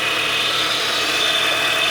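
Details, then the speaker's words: PT Cruiser just fitted with a 60,000-mile replacement engine, first start at idle: steady high whine from the power steering pump, a little low on fluid. "I hear the power steering whining. A little bit low on fluid."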